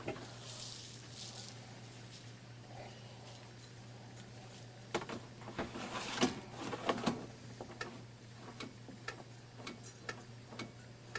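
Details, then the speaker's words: Mid-1990s Holmes HAP-180 under-cabinet air purifier with GE motor: faint fan hum and sharp light clicks as the filter is moved; filter micro switch interlock stops operation without the filter, working normally. "Oh, and one other thing which just reminded me is that it will not operate without the filter. There's actually a micro switch in there."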